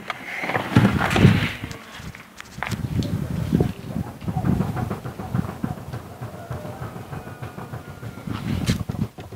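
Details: Renault Megane 2 steering rack: irregular dull clunks in short bursts from the front end as the wheel is worked; worn steering rack knocking.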